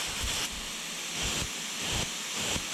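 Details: 2016 Porsche GT3RS 4.0 engine removed from a wrecked track car, on a leak-down test of cylinder 1, reading about 25–40% versus 5–7% on the others. Air hisses in pulses from the crankcase breather. Owner suspects broken rings; slight bore scoring seen.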